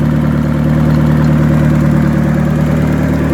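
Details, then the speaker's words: Turbocharged Hyundai Tiburon, freshly reassembled, idling low in temperature during warm-up, still running a little rich with heater on; quick, even light ticking over the engine is just loud injectors, nothing wrong. "Injectors are loud as shit."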